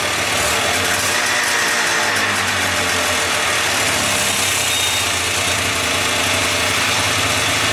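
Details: 1979 Kawasaki Drifter 440 snowmobile two-stroke, first start after sitting with unknown history: busy, buzzy note holding a steady idle with a fast even beat; the engine runs on its own.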